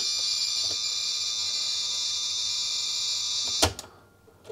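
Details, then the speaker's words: 1980s Sanyo Wavy 23 MSX2 (PHC-23J, Japanese 100 V) loading from its special cassette recorder: a high data screech with a scratchy edge, ending in a clunk; the load fails, likely because the recorder mode switch is between modes. "yeah I can hear there it's data however not really sure about this mode okay it's a bit scratchy there"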